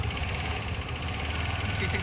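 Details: TVS Jupiter 125 scooter at idle, heard with the panel removed: steady idle with a light, quick ticking on top from loose tappets at both rockers needing clearance adjustment; a slack rubber also found.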